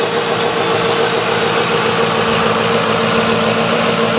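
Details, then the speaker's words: 2004 Ford Crown Victoria, 4.6 L engine with electronic returnless fuel system, suspected fuel delivery issue after battery connection problem: settled idle with light steady hum, no ticks or knocks; normal idle. "so go ahead and Crank It Up that sounds pretty good know ticks bow sound good"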